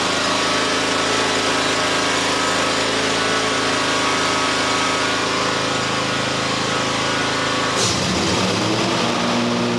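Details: John Deere X350 lawn tractor after replacing the failed module that prevented starting: steady, even buzzing run with constant pitch, no misses, knocks or surging; runs normally.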